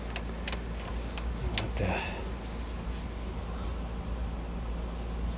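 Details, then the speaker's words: Vintage Blaupunkt classic car radio after restoration, first power-up: two sharp pops from the speaker, switching on and off, then faint hum and no audio; output present but no sound. "well i can hear the speaker popping but i'm not getting any audio"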